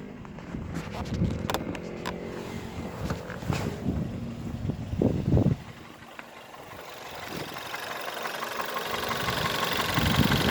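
Petrol engine settling from revs back to idle with scattered sharp clicks and knocks over the running note; source of the knock unclear.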